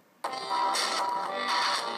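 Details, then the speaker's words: iPad game audio (Angry Birds) from the built-in speaker sounds harsh, buzzy and garbled instead of clean, with a large delay; owner suspects a sound card fault that has happened before. Distorted speaker output, cause not confirmed. "All of you know that's not what the Angry Bird sound is. And it gets a lot worse."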